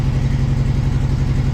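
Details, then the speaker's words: Toyota crawler just after an engine swap, first run without radiator: low, lumpy idle with uneven stumbling pulse, no smoke; owner suspects water in the fuel and possibly timing needing checking. "But it sounds like there's water in the fuel. Might have to drain that tank out and put fresh fuel in there, but it's actually running on its own now."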